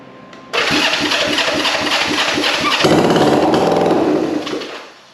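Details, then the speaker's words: Restored 1965 Honda CB450 Black Bomber just fitted in frame, first start on choke: fires at once into a crisp, even twin-cylinder beat holding steady before shutoff; throttle seems not working, but engine runs and sounds good. "okay yeah I don't think my throttle's working but that's a runner sounds good"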